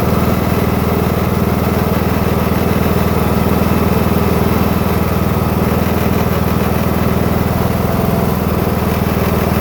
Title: new husqvarna ts 242 grinding sound